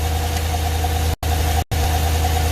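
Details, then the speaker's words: Engine with a DOD/AFM lifter setup idling with a bad misfire, an intermittent tick and an occasional dull clunk, not from the exhaust; internal damage is suspected. "all right so you can hear it Miss oh well you know what it's ticking really bad it's clunking in there there's something wrong"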